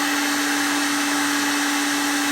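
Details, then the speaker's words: Pecron E1500LFP power station at about 1,400 W, mains unplugged so it runs as a UPS: steady even motor hum at constant pitch, change heard as it switches over, no stumble or surging; normal motor run on inverter power. "1,400 wats on here you can hear the motor change when it when it switches over to"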